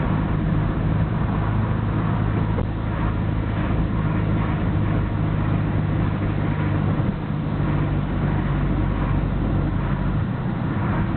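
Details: Nissan Skyline GT-R BNR34 with stock Getrag manual gearbox and Nismo clutch at idle: coarse, loose chattering over steady idle, louder than normal; slow to stop when clutch pressed, 1st and 6th rattle while driving, shifting fine, unchanged after gearbox oil change; overhaul considered.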